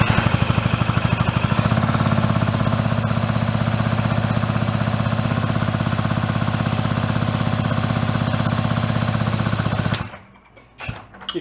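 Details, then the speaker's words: 49cc fold-up suitcase scooter, sat 40+ years, reportedly never ran: cranks with even compression pulses about three per second for ten seconds, no firing; good compression, ignition fault suspected in condenser, no tune-up parts on hand. "it's got compression, it should fire. And again, it had. It had an issue."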